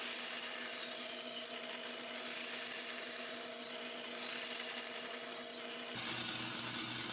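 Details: Normal cutting on a bandsaw (the shop has a 1930s 36" Oliver and a 17" Grizzly) making release cuts around a tight curve: steady motor hum with a hissing rasp as the blade cuts, pausing between short passes, no rattle or squeal.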